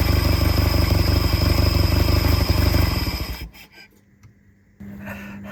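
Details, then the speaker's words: Peugeot 403 pickup abandoned 22 years, first start after freeing the seized throttle butterfly: rough heavy idle with uneven low thumping before dying; owner suspects one cylinder not firing properly. "Bon, allez, ça tourne, il y a un cylindre qui doit pas trop trop bien donner."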